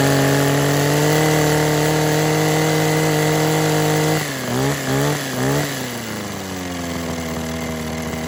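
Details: Kawasaki KHT600D hedge clipper, two-stroke, after new fuel lines, primer bulb, grommet and tune-up, started on choke: buzzes at a steady high idle, revs dip and recover a few times, then settle; runs cleanly.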